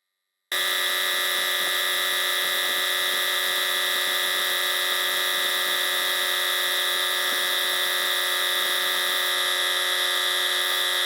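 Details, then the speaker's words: 1980s Sanborn air compressor after drive pulley repair (scrap smaller-bore pulley machined on a lathe, ground screw locking it into shaft keyway): steady even whine, no knocking or slipping; normal running, cuts off at 120 PSI. "so we cut we ched off at cut off at 120 PSI seem to be holding up good"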